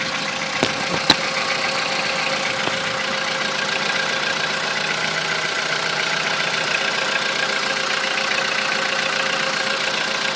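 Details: Volkswagen Polo sedan that had a cold-start knock (owner unsure if piston slap), cold idle at 10°C after the owner's fix under the decorative engine cover: an even, steady idle with only an odd faint tick early on and no rhythmic knock; sounds healthy.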